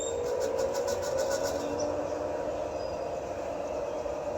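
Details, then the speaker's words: Kenmore 110.20022013 Whirlpool-built top-load washer after lid lock repair, test mode low spin: shifter click then smooth steady hum rising in pitch as basket speeds up, no knocking; normal spin. "I just heard the shifter click over here it so it's shifting from agitate into the spin mode down underneath and there's the spin"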